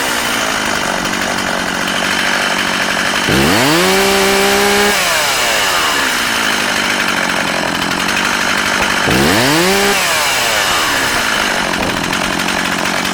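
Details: Older, little-used Stihl 036 Pro chainsaw, 20 in original bar and chain, 150 psi compression: steady high idle, then two crisp blips to full revs dropping back cleanly without stumbling; runs healthy.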